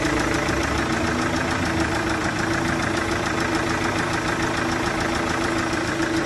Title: Chevrolet VCDI-Motorgeräusch mit Zylinderkompressionsleck von der Einspritzdüsendichtung #shorts